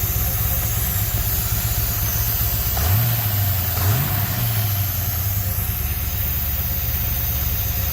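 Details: 1972 Chevy C10 crate 350 V8 that had sat for 8+ years, first run with a new coil. Steady idle with a slight cam lope and quick throttle blips; no knocking, no smoke and quiet lifters, a healthy normal idle with a mild cam.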